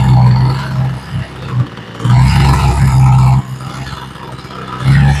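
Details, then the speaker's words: Homelite string trimmer, new replacement carburetor after idle and high/low mixture screw adjustment: crisp throttle blips rising cleanly and dropping back to a steady idle with no stumble; normal running, carb mixture set right. "Okay, the idle sounds like it's in a good place."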